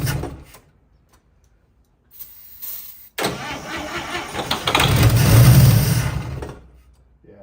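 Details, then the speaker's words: 1955 Chevy Two-Ten coupe parked 40 years, tried without the battery pack: uneven starter cranking for a few seconds, never fires or settles into a run; cranks but won't start. Owner suspects it isn't pulling any fuel. "it's not full of fuel I don't think it's I don't think it's pulling any fuel"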